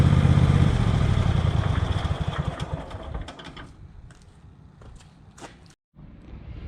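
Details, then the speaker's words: Twin-cylinder tractor engine, reassembled after rodent damage and fuel line repair with a new spark plug on the cylinder that had run dead, putters evenly with a steady beat as it pulls away around the yard; runs cleanly, no misfire. "well friends everything is back together again um I've been using it around the yard and as you can hear the engine is running absolutely fine now"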